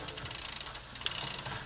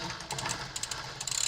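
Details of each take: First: Rambo bike rear derailleur, shifting up through gears: quick bursts of ratcheting clicks and slight grinding as chain hesitates and sticks; cable tension too low, adjusted by turning barrel adjuster about a quarter turn for more tension. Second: Rambo bike rear derailleur after about one full turn of the barrel adjuster to add cable tension: light freewheel ticking, then one crisp click as the chain drops straight onto the next cog, with no rattle or hesitation. It shifts clean.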